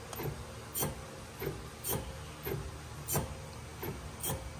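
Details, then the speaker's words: Jeep TJ with G2 Dana 44 rear disc brakes (Teraflex conversion), wheel turned by hand: sharp scrape-squeak once per turn; driver-side rear brake squeal, rotor dug into pad, passenger side quiet. "that's my that's my squeaky wheel the uh passenger side is actually quiet that noise is coming from the other side"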